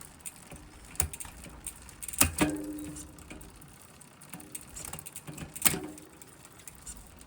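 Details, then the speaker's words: SRAM GX AXS rear derailleur micro-adjusted to the maximum of 31 so it reaches gear 12, making the other gears very clunky: light freewheel ticking broken by hard metallic clunks as the chain jumps cogs. Later fixed by spacing the derailleur out with two washers. "So, in order to compensate for this, I've moved my micro adjuster all the way to the right hand side to 31, which does allow it to drop into gear 12, but at the detriment of all the other gears in the cassette, which has now become very clunky."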